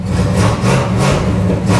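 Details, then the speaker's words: 1986 Chevy Camaro Z28 V8 fitted with a Quadrajet carburetor instead of fuel injection, at a cold first start of the day after a couple of pedal pumps: a steady, even low rumble with no knocks or stumbles, a clean idle. "But she starts right up. That's a cold start, fresh start of the day."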